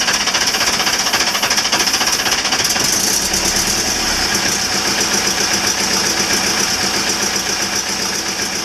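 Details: Marine Perkins 4.236 diesel (1984/85), 3 months submerged in salt water, fuel bled, one injector looks wrong. Cranking on start gas: rapid uneven clatter, firing catches and settles into a rough run as the flooded diesel comes back to life.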